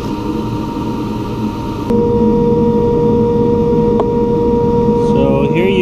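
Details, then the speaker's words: Aerco Benchmark 2.0 high-efficiency boiler, water at 133°F against a 189°F set point, relay bypassed for a call for heat, before ignition maintenance: blower hum steps up, then burner lights and holds steady. Normal ignition and firing. "hey we have fire"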